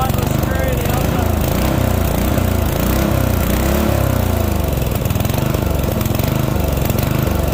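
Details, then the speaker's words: Yard Machine MTD ride-on mower, 12.5 hp Briggs & Stratton, 38-inch deck, 6-speed, which wouldn't start; now running on choke while warming up. Rough single-cylinder thump swells and sags every second or so; engine hunting. "She's hunting a bit, but overall, she starts."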